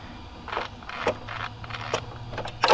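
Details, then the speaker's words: RC Infraction Mega car on a 3S brushed system: irregular scraping bursts about every half second over the motor drone, ending in a loud rub; the front tire is hitting a chassis creased by earlier BMX-park jumps. "I found the problem with the noise the tire has been hitting the last time I ran this thing I hit something"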